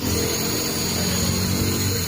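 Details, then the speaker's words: Vespa Matic LX 150 electric starter test with new starter motor: steady, even whirr holding pitch and speed without weakening, so the starter is normal. "Nah, dia stabil ya. Nah, berarti bisa dikatakan dinamo ini normal, jelas saja normal ya, karena ini kan baru ya guys ya."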